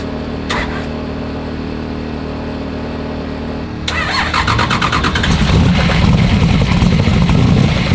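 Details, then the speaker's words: Falcon drag car with a big V8 and an aggressive cam, valves set at 0.022 hot: it fires and revs with a rough, uneven clatter in the engine that changes with rpm. A missed or loose valve adjustment is suspected, unconfirmed. "I'm not really sure what that noise is but we haven't done anything to hurt this thing bad yet so we probably better should stop before we're going to tear anything up"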